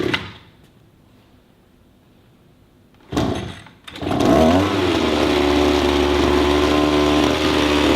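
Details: Brand new 2-stroke pole tool, cold start, choke moved back to run after almost firing: short pull, brief catch, then fires and settles into steady even buzzing idle; running normally.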